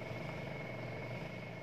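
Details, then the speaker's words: Two-tub washing machine whose spin dryer would not run, spin motor tested with a substitute capacitor: quiet, steady whir at one pitch, spinning fast; motor normal, old bulging capacitor the likely fault. "ayo kita nyalakan hai motornya hai menurut syariat hai hai hai muternya kenceng hai pertanda kalau dinamonya ini normalnya"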